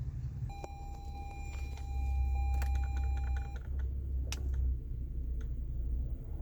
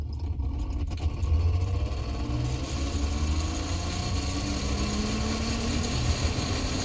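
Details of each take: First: 2017 Toyota Sienna AC blower fan after replacing the blower motor, which had been noisy because it came loose: low steady hum with no rattle, grinding or squeal, normal blower operation. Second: 2017 Toyota Sienna with engine idling: loud roar from the AC blower fan, low tone rising as it spins up; blower motor suspected and being replaced.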